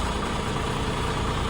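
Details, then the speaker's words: Restored abandoned fuel truck idling as its manual-shift PTO is engaged, smoother than the earlier attempt; steady low rumble with no grinding or gear clash, clean engagement. "There we go. That's a lot smoother than when we did it."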